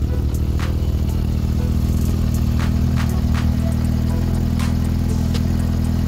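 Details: Yamaha XJR400 motorcycle after the valve clearances were reset to spec; they had previously been too loose and noisy. Low, steady idle with an even beat and no loose top-end ticking; engine quiet and healthy.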